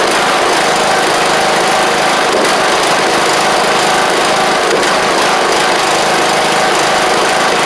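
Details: John Deere LA100 riding mower (5-speed transaxle), sat a long time with water in the tank and hard starting blamed on valves, now running: steady, even buzzing drone, no misses or tapping; runs properly, though the spark plug is suspected to have failed.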